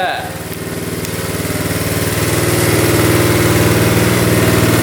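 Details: 1972 Honda CT70 single, bought at auction with a bogging problem, idling in neutral after rewiring, about four even beats a second with no misses or knocks, while the lights are tested; runs without smoke: normal idle.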